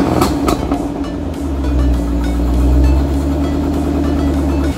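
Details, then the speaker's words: 2008 Ford Mustang GT Bullitt, started after sitting almost 3 weeks and charging the weak battery: short crank, catches within a second, then a smooth even low idle; it starts and runs normally. "guys I'm super happy the car started right up so I'm gonna start using this car pretty soon"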